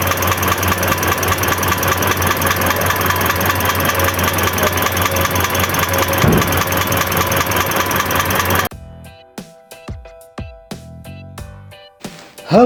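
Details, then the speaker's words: Sharp, regular tek-tek knock over idle, keeping time with the engine; teardown found worn connecting rod bearings. "Banyak yang mengira suara seperti ini adalah suara normal. Tapi faktanya ini adalah teriakan terakhir dari jantung mesin kalian sebelum dia mati total. Kali ini kita akan bahas keluhan mesin bunyi ketukan atau knocking."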